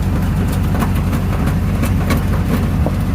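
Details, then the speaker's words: 1992 Ford Bronco, bought non-running after sitting for months, first start at idle: deep loud rumble with uneven puffs and sharp chuffs; exhaust holed, muffler about to fall off, not really connected past the cat. "Fancy. Oh yeah. It's not even really connected past the cat."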